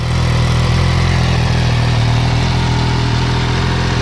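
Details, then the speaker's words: MV Agusta F3 675 after a HealTech exhaust servo eliminator install, exhaust valve wide open with no baffle, stop-engine exhaust valve warning still showing: loud, deep, raspy, even idle with no misses or ticks. Normal idle. "and uh yeah there's what it sounds like without the uh the exhaust baffle basically in so a little bit louder a little bit raspier"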